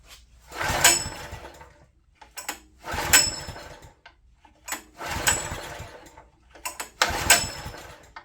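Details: Old open-frame Honda EG1400Z generator bought non-running, possibly water in fuel, pull-started with choke on, then off: four short pulls about two seconds apart each catch, cough briefly and quit.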